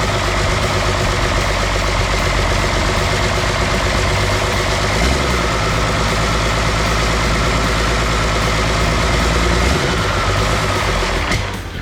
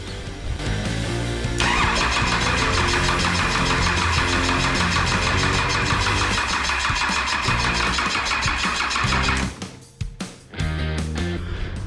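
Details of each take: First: Cummins 6BT diesel newly fitted with 4L80E and Nissan transfer case in a GU Patrol, first run after priming oil pump: even, steady clatter about four beats a second, no knocks or misses, then winds down; runs fine, injector return banjo thread stripped. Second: 6BT Cummins diesel being installed in a GU Patrol, injector lines cracked to bleed fuel; about eight seconds of steady rhythmic cranking with no catch; owner suspects the dry oil pump has not primed, so there is no oil pressure.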